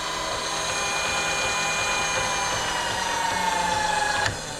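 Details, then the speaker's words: Precision Matthews PM-25MV mill, new X-axis power feed running at speed against its bump stops: clean steady motor whine dropping in pitch then cutting off sharply as it disengages to middle; no grinding, feed healthy. "it disengages immediately when you flip that to the middle we can go back the other way"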